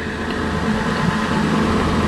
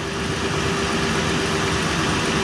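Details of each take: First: Toyota Highlander wheel bearing heard through a mechanic's stethoscope with wheel spinning: smooth, even whir, no grinding or clicking; this bearing is healthy. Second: Toyota Highlander wheel bearing heard through a stethoscope with the wheel spinning, coarse rumbling roar like a corn sheller versus the smooth other side; this bearing judged bad.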